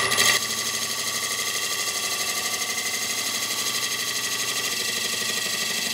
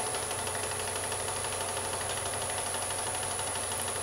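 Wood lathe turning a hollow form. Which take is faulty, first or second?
second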